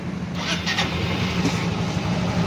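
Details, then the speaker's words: Yamaha Mio i 125 scooter, 2,641 on the odometer, after repair (crankshaft replaced, connecting rod and crank bearing worn): starts and settles into a steady smooth low hum, earlier engine noise gone, no knocking. "tahimik na siya wala na yung ingay"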